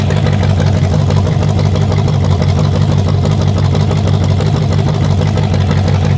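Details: Carbureted Chevy 350 small-block on a test rack, first fire-up before warm-up, timing set on the fly: a smooth, steady low rumble with no ticking, knocking or hunting; it sounds healthy.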